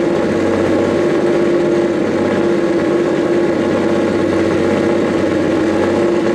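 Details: Nissan S15 after its fault was resolved; it had been smoking heavily, which the owner suspects was condensation and oil trapped in the exhaust. It fires right up to an even, settled idle with a faint constant whistle, and the owner hears a couple of exhaust leaks underneath.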